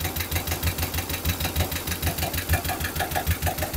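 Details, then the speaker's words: Suzuki Futura engine with sludged oil blamed on fake/recycled oil, given slight throttle: regular light tapping about two per second over the idle, suggesting top-end valve train ticking. "Coba digas dikit lah, dikit aja. Terus, nah, bunyinya ada agak bunyi"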